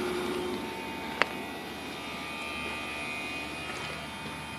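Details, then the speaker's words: Carrier Greenspeed heat pump outdoor unit with variable-speed compressor and fan, running cooling mode at 100%, with a refrigerant muffler: soft steady fan and compressor hum with a faint high whir, no rattle; very quiet, normal running. "it's a running cooling mode right now at 100% it's a variable speed compressor variable speed uh outdoor fan motor it's very quiet"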